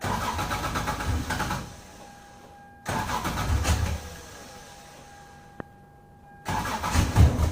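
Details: 1996 Lexus SC300 manual, 2JZ-GE: prior cold start with coolant temperature sensor unplugged under the manifold, long chugging crank, brief catch that dies, then another long crank and stumble; hard cold start fixed by reconnecting the sensor.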